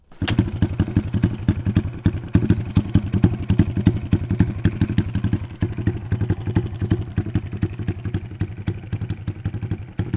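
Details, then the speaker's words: Motorcycle single restarted after checking for spark at the plug and refitting it: an even, quick thump of about three or four pulses a second, steady with no misfires, idling healthily. "Oke, kita coba hidupkan lagi guys. Nah ini udah hidup guys."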